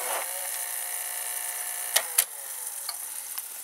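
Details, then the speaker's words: VCR in play mode with a cassette loaded, U-loading mechanism; a steady high hiss with a faint scraping edge and clicks as the deck shuttles. The owner says the head drum is worn out and can be heard rubbing inside. "The drum spins, it is worn out as we hear it rubbing inside."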